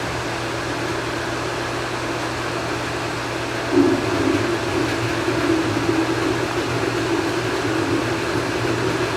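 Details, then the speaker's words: Valdoro filter during backwash, with the backwash valve and two valves reopened slowly. A steady hiss of rushing water swells and then holds evenly; normal backwash water flow. "Alright, now they're open. You can already hear she's kind of flowing out."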